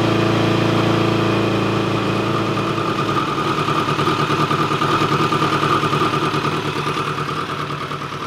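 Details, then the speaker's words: 1986 Kawasaki GPZ1000RX, first start in 17 years after carb rebuild: steady, even idle with a smooth low throb, no misses or knocks, settling slowly; normal idle, though leaking coolant from reused O-rings. "but honestly i'm too excited about this thing actually running to not fire it up again"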